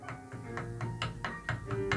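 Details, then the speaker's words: Steinway grand piano, G-sharp 3 key rocked by hand: light, even taps about four a second, a click on key release; loose key lead in the key, fixed by swedging it tighter. "it's tapping there you can hear it"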